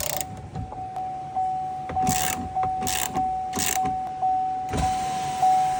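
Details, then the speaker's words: 2014 Chevrolet Volt power window after window regulator replacement: steady motor whine with irregular clunks and scraping bursts about once a second as the glass travels, sounding weird; window now stays up and moves. "Ta-da! Uh-oh, that sounded weird."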